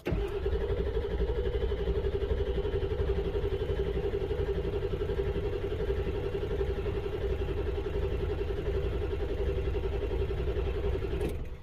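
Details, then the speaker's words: 1999 Ford F-250 7.3 Power Stroke diesel, codes P1211, P1212 and P0340, cranked on a battery charger: steady cranking at about four turns a second for over ten seconds without catching; ICP reaches only about 265 with IPR maxed, low injection control pressure. "all right so now we're going to crank it i've got a battery charger on it and we're going to crank it and see what the icp gets to"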